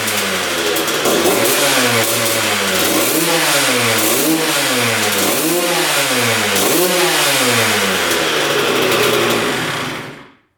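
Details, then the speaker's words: 2001 Honda CR125 two-stroke, seller-rebuilt engine, after setting throttle cable that held slide open: crisp blips rising and falling cleanly with throttle, returns to idle without stumbling; fires instantly, sounds healthy. "Well, that sounds pretty darn good. It revved to the moon right when we started it up."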